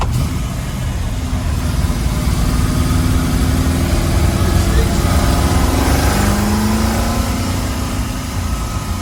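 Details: 351 V8 Ford Falcon GT at idle and revving: deep burble with uneven, lumpy beat, occasional misfire; owner believes new spark plugs are needed, not confirmed.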